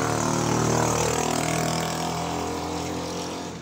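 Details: Camel spin dryer that spun slowly and made noise: loud hum under coarse fast rattle; spin basket loose on shaft, not turning with motor properly.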